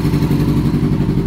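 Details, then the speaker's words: 2000 Yamaha R6, carbs out of sync and vacuum lines found disconnected; one cylinder not firing, choppy cutting beat, lumpy stumbling idle. Misfire, one dead cylinder, before carb cleaning and synchronization. "traemos funcionando un cilindro ese es el problema que trae la mamalona escuchen cómo escucha como si hiciera corte"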